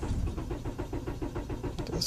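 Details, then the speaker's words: 1999 Honda Accord LX cranking at about six or seven beats per second but never firing; spark present at all four plug wires, main relay solder joints checked fine, a little gas sometimes helps; crank, no start. "so this is a 99 Honda, and I'm not sure why, but it's just not catching. It's got crank, it just doesn't want to turn over."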